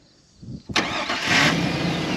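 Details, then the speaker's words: Old farm truck engine, body control module disconnected (security light on), starting after hooking everything up: brief crank, catches cleanly within a second and settles into a smooth, even idle; normal start. "fires up look at that it's running you could drive it but obviously we're not gonna but that should work in the panel truck"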